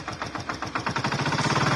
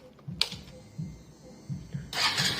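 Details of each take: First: Hero Glamour FI motorcycle engine at idle: quick, even rattle about nine per second that fades when revved, so not the crank; mechanic suspects a loose magnet or balancer; loose balancer rattle. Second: Hero Glamour motorcycle after repair: engine starts and settles into steady idle, earlier rattling knock gone; cause was a loose nut, now tightened, engine fine, no smoke.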